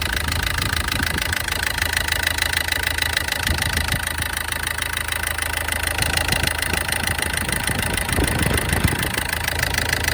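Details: SsangYong diesel at idle during an injector test: uneven, clattery knock about three beats per second; rough idle suspected from bad injectors, not confirmed.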